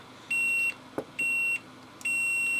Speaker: actually that looks like it's actually open circuit just Flex it and see if we can uh get it to make contact again